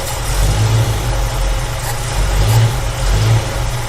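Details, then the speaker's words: 1965 Ford Mustang V8 with an Edelbrock carb idles lumpy and shaking on only a few cylinders; squirting carb cleaner into one side picks up the revs, pointing to a blocked idle circuit on one side and a lean idle. "my guess is this side of the idle circuit is blocked somewhere and this so it's just really trying to idle on one side"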